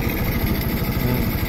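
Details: Rusi 125 motorcycle just fitted with a Pure 125 carburetor (the Rusi carb was unavailable): steady, even low putter at idle with a smooth regular beat and no misses or knocks, so the engine idles cleanly after the carb swap.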